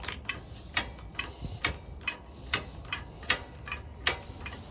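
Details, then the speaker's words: Harbor Freight 10-ton hydraulic log splitter, cold windy day, splitting a log: crisp, sharp clicks about once a second as the hand pump handle strokes, no straining or grinding; the hand pump is working normally. "Now it makes contact, and then that means you need more force basically to move this one forward. Makes good noise."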